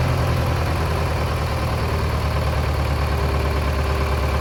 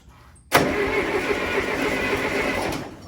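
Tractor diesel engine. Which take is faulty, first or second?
second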